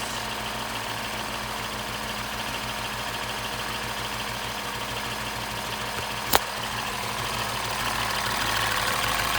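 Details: 2015 Mini Cooper S Copart rebuild, first start after the belt was fitted, with the induction hose disconnected and something unplugged: the four-cylinder idle hunts from about 1,000 to 750–800 rpm instead of settling. Unmetered air is getting in.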